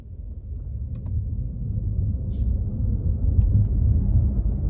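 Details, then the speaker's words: BMW electric vehicle on snow tires, fan off, pulling away from a stop: only low tire rumble rising with speed and no motor whine; quiet electric motor, normal. "Nothing. All you hear are the sticky snow tires on this vehicle and a little as we start picking up speed. That's it. This car is so quiet"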